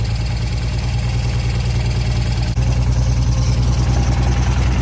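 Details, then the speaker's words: 1964 Ford Falcon wagon six, first run after 46 years sitting, original carburetor holding: low, even idle running on its own with no stumbles, ticks or knocks; normal idle. Oil still contaminated and needing a change. "Look at that. This thing is running. Yeah! Idling on its own, purring like a kitten."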